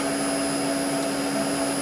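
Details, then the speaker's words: Maple sap vacuum system water pump on a variable drive running at 38 Hz (set point 49, full speed 60, minimum 36 to avoid cavitation): steady, even hum with no knocks, rattles or surging; normal running. "36 hertz is as low as i run this machine without it cavitating because it's a water pump so full speed is 60 hertz it's running at 38. i'm happy sounds good"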